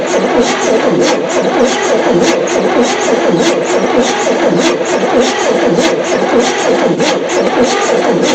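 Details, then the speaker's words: 1973 Chevy C10 squarebody, not run for 27 years, spark confirmed, carb flooded with gas: steady rhythmic cranking at about one beat a second that never fires. Cranks, no start; spark still present, owner assumes firing order and distributor are correct. "Still nothing. Let's see if we still got spark."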